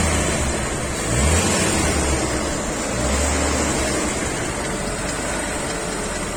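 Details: VW Passat VR5 engine: busy rattly ticking over the engine note that rises with revs; owner suspects timing chain noise, unconfirmed.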